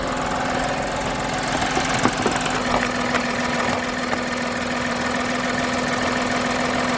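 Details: Steady, even idle with a constant hum and no knocks or stumbles while daily driving; voltmeter reads 13.94 V, alternator charging. Normal idle.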